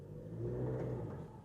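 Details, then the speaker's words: Diesel van with a Mercedes 7-speed automatic, described as loud like a Porter: steady, deep diesel drone swells with a slight rev and falls back evenly, with no knock or miss. The noise is normal for this model and the engine runs steadily. "아, 이게 살짝 RPM을 높혔을 때이 엔진 소음. 지금 엔진이 나빠서 이런 소리가 나는게 아니거든요.이 차는 다 이런 소리가 납니다. 회전 자체는 굉장히 일정하게 잘 돌아가고 있는 상태입니다."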